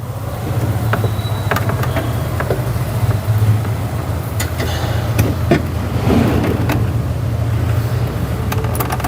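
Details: BMW 5 Series 525i that had engine shaking and body vibration, after installing a new original gearbox mount; even steady low idle with no shudder or knocking, only a few light clicks nearby; running smoothly.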